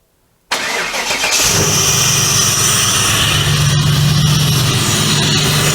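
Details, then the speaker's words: 1996 Impala SS with a stock LT1 V8 and TorqHead conversion, which had been running rough and starting poorly with coils failing one by one. After the new coils, the starter catches quickly and the V8 runs steady and even, "much smoother". Smooth running. "much smoother much much smoother that's like if it should run all right"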